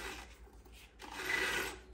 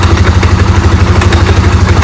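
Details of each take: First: Polaris Sportsman 550/850 primary clutch turned by hand: dry gritty rasp of a rough idle bearing, discolored, suspected of heating and seizing, grabbing the belt and causing hard shifting; to be disassembled and greased. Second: Polaris Sportsman 550/850 after clutch repair with two shims fitted to stop idle creep and hard shifting: strong, even idle pulse about three beats a second with no slipping or dragging; clutch now disengages properly.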